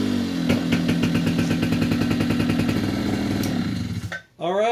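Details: 2004 Polaris Predator 50 two-stroke mini quad with new carburetor, float height corrected per service manual: steady buzzing idle picking up cleanly on throttle without bogging or flooding; normal idle and throttle response.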